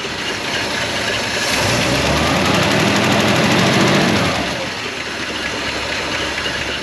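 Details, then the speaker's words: 1956 Chrysler Windsor wagon, 354 Hemi V8 with PowerFlite 2-speed, arrived not running, just fired: slow loping beat about three pulses a second, no smoke; very low idle, roughly 200 rpm. "look at that sucker no smoke either and look at that that's like a 200 RPM idle"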